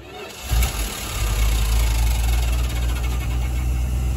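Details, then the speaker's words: 1974 Dodge B300 Minnie Winnie, 360 V8, 727 transmission, first drive after 27 years parked: fires on fuel poured in the carb bowl, rough lumpy low rumble; fuel pump apparently failed. "I think it ran out of fuel. I guess it didn't pick up fuel quick enough from the very back bumper, or maybe we have another problem that I don't know about."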